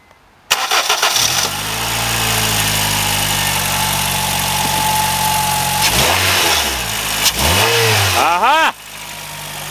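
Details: Honda Fit; engine starts, idles with a slightly uneven beat, blips twice and shuts off; misfire traced to faulty ignition coil number three.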